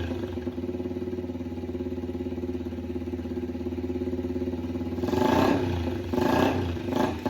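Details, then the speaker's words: Yamaha TTR 90 after top-end rebuild, airbox off, idle raised: uneven thumping at idle, stumbling and surging on throttle blips, running lean and improving with more fuel from the air-fuel screw. Heavy exhaust smoke suggests burning oil. "So, it once I screwed the more I screwed the air fuel screw in, the more it liked it. So, it wanted more fuel."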